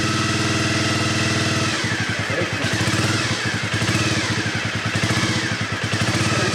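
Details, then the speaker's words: 1997 Honda CB50V Dream 50 (AC15) DOHC four-valve 50cc single, first start after about 15 years sitting, cold: quick, crisp putter turning slightly lumpy as it settles, no mechanical noise or smoke; engine sounds good. "that's inredible sounds great yeah the engine sounds pretty good does no no noise"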